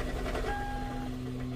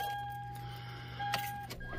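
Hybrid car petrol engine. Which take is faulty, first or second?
first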